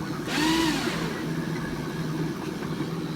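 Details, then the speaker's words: December 1984 Sinclair C5 bush-find under restoration, electric motor run on bodged power connection: whirs up quickly with rising pitch then steady even hum, no knocks or rattles; normal motor run, though pod beeps and clicks with a fault. "And that's super smooth now I've sort of fixed it and all that, which is cool."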